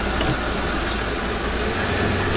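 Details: 1995 RV engine after its seized fuel pump was replaced with a bigger retrofit pump, following a short drive: steady, even idle with a smooth low rumble and no knocks, misses or surging; runs normally.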